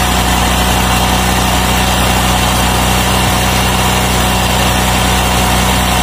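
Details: Automatic scooter after reassembling CVT roller housing with reused rollers: smooth, even idle with constant low hum, no knocks or rattles; running normally.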